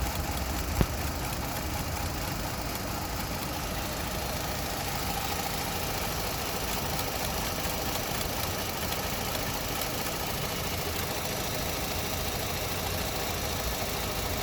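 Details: Opel Astra at idle with a dull knock and light throttle clicking, engine shaking, felt in cabin, no error codes; spark plugs and ignition coil pack already replaced, cause not identified.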